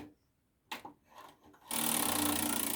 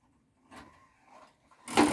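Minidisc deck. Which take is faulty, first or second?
first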